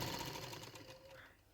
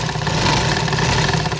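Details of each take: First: Sewing machine after home service, reassembly and oiling the holes: quick, even, light stitching tick at a steady rate, no knocks or grinding; running smooth and quiet. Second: Sewing machine before home service and oiling, running with rough stitching: fast, loud, dry rattling mechanical chatter at about four beats a second, then winding down; owner suspects it needs cleaning and oil, not confirmed.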